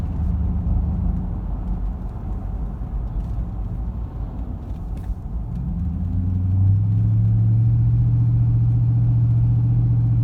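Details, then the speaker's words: 1998 Ford Crown Victoria LX, 83,000 miles, dual exhaust with Flowmaster 44s, driving up an incline while Lubegard Shudder Fixx is being tried: a steady pulse of about four per second after the shift to fourth or overdrive, like a rumble strip, felt in the seat and wheel; transmission shudder. "it did it about three or four times up that incline there it's kind of hard to hear it it almost sounds like you're hitting a rumble type strip in the road and you can feel it in the seat and in the in the steering wheel pretty good almost effect almost feels like a misfire"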